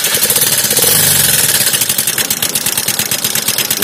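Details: Suzuki Access 125 scooter at idle: fast, light, steady ticking over the idle, tappet clatter from rockers starved of oil because the oil filter was never changed, lightly damaging the rocker; fix is replacing the oil filter.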